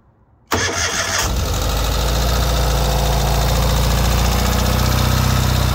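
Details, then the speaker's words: 2023 Ural sidecar motorcycle cold start at 20°F on a January morning: catches right away after a brief crank, then settles into a steady brisk fast idle with even firing; normal cold start with high idle. "and of course you can hear it go straight to a high idle that is perfectly normal that's what you want"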